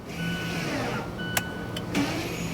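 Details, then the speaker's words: Mazda 3 rear electric parking brake actuators, after caliper piston issue: short electric whir ending in a soft click as actuator drives in smoothly; parking brake applying normally. "Pull up on this. Yeah, I they actuated. I I heard them actuate."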